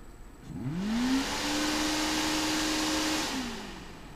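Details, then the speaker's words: Small AVC hydraulic-bearing CPU fan after oiling with 3-in-1 oil, previously vibrating and rattling badly: now spins up to a steady whir with a clean hum, then winds down, no rattle; repaired, fan good as new. "fan no more rattling this fan is good as new"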